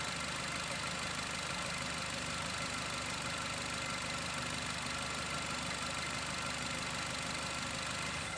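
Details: Nissan X-Trail: idle stumbles unevenly with an irregular knocking beat about three per second over a hissy engine note; shaking and coughing misfire from worn-out iridium spark plugs, before replacement.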